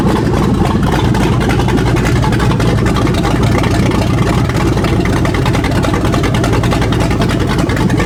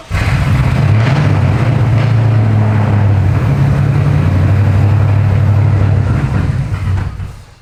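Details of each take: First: 2015 Ford Mustang S550 with 7.3 Godzilla V8 swap, started to check everything works: loud, deep V8 running steady and even, no knocks or misses, cutting off cleanly; normal start and idle. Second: 7.3 Godzilla V8-swapped 2015 Ford Mustang S550, first start with the new full Holley exhaust: a very loud, deep V8 rumble holds at steady throttle, then drops. Untuned engine running on a base map.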